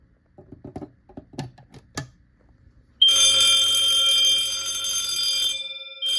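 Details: Silent Knight SK-4 fire alarm panel with two Pre-ADA Wheelock horn/bell strobes, tripped by a smoke detector test. After some clicking, piercing horn and ringing bell sound together, drop out briefly and restart in temporal-3 pattern.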